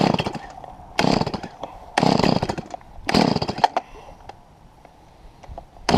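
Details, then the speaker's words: Stihl MS170 chainsaw cutting a 3 ft trunk into heavy rounds: short revving bursts that sag and die under the cut instead of holding speed; saw bogging down under load, cause undetermined. "when we started get into the main trunk that's about 3 ft across you know some of these circular sections weigh 100 lb each it started bogging down on me"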